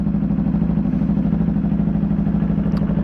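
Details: New Yamaha motorcycle after break-in oil change, on rear stand, in neutral, checking filter and drain plug for leaks: steady even idle with smooth quick beat, no knocks or misses; normal idle, no leaks.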